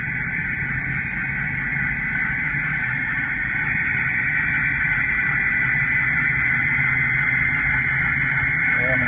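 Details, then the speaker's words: VW Touareg front differential recorded while driving: steady high drone over road and engine noise, holding pitch with speed; owner says a carrier bearing in the differential is definitely bad. "So I'm gonna actually take a drive and show you what it sounds like, because the bearing in the differential is definitely bad in the carrier."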